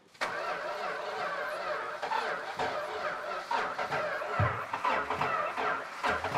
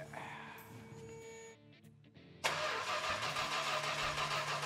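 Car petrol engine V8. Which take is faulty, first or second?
first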